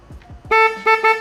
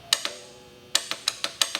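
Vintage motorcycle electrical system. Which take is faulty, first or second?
second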